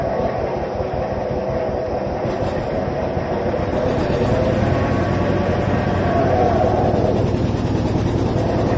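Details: Vintage John Deere 720 two-cylinder diesel tractor after head gasket repair: steady, deep thumping at an even beat with no knock or misfire; running cleanly.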